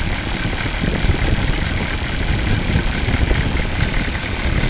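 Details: 6.5 liter diesel at idle with smoke from the crankcase: steady idle with a loose, busy, even-paced rattle. Source unknown.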